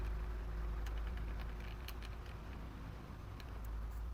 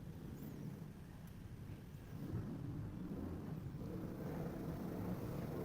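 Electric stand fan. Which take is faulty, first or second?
first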